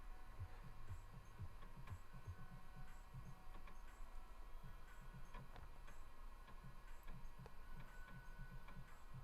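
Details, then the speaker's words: 1991 Dell 320n laptop, floppy drive reading an old warehouse floppy: soft stepping clicks and seek ticks over a low hum in an even working rhythm, "really crunching some numbers"; drive reading the disk fine. "That's the noise I like to hear. I don't know if you can hear it. It's really crunching some numbers."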